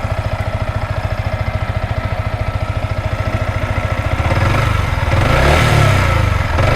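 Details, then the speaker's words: Yamaha Vixion R motorcycle idling after repair that cured a ticking ("klitik") engine noise: even steady thump, no ticking or knocking, engine now smooth. "dan sekarang kita coba untuk bunyinya sini sudah halus banget sama Hai Ni untuk suara mesinnya sudah halus"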